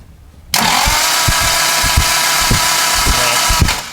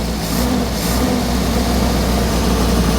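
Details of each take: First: 1967 Morgan Plus 4 Drop Head Coupe, not run in years, spark plugs removed: fast, light, even whirring as engine turns over freely with no compression, checking it is free and probably priming the fuel system via the mechanical fuel pump. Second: 1967 Morgan Plus 4 Drop Head Coupe just started after years unused, running old fuel; low, uneven idle with loose stumbling beat under steady exhaust rumble; runs but rough.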